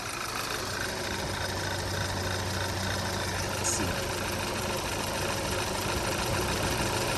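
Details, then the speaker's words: 2012 Audi A4 quattro 2.0T, 113,000 miles, flashing check engine/EPC light for a catalyst-damaging misfire, after cold-start high idle: uneven loping idle with engine shaking; dead cylinder misfire. "can see the engine shaking it's missing on a cylinder let's see if cylinder one has anything to do with it"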